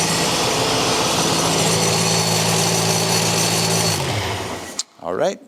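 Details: Race engine held at about 4,000 rpm without the muffler, Mac dB-meter reading 105 dB versus a 98 dB track limit: loud, raspy steady bark before dropping off; unmuffled exhaust too loud for the track limit.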